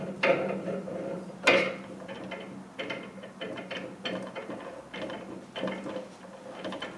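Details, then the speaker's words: Land Rover 110 300 Tdi on a lift, axle half shaft turned by hand: irregular clunks and ratcheting about once a second. Unusual wear on the crown wheel, which appears out of mesh, showing excessive differential backlash. "It's like that crown wheel's out of mesh. But this is really strange how this has come like this."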